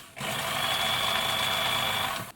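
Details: Bernina sewing machine, motor brushes and capacitors checked, insulation good, run via foot controller: two-second steady high whir at even speed, smooth with no grinding or catching; motor runs normally.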